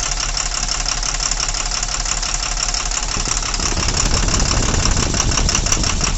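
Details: Tata Cummins BS4 truck diesel with heavy vibration and no pickup, injector cut-out test: rough idle with a tapping knock. The note clearly changes when one injector is opened, so that cylinder is firing.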